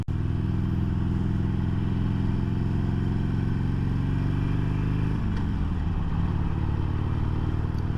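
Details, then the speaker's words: 2022 Harley-Davidson Sportster Iron 883 at about 1,600 miles: loud V-twin drone, then a dull clunk and a drop in engine pitch on a gear change; normal audible shift clunk, also heard downshifting. "see I don't know if you could hear the audible click or clunk every time I shift yep and you can hear it downshifting so audible clicks when you're shifting which is nice because you want to know hey am I in gear or not"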